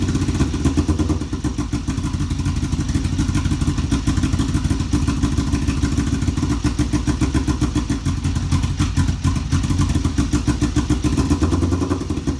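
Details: Kawasaki EX500 first started after sitting a couple of years: uneven, lumpy parallel-twin idle with irregular low thumps and clatter, won't stay running; carb sync suspected; rough idle.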